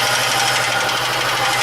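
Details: VAZ 2114 petrol engine idling with a faint knock under rough clatter and slight misfiring; cause was a burnt valve and broken piston skirt.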